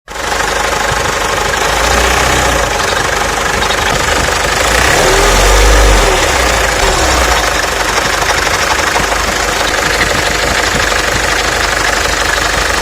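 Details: Mercedes OM604 diesel at idle with a hard metallic knock about three times a second, plus crunching and rattle. The noise came and went before turning into loud banging from the injection pump area; a stethoscope traced it to the vacuum pump, whose bearings had failed.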